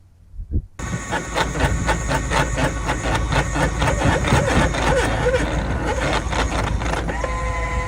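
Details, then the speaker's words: Power tongue jack on an Airstream International 27 trailer: loud electric motor grinding with a harsh clack about four times a second, traced to a faulty jack shaft, replaced under warranty. "Our jack is making a really wicked noise."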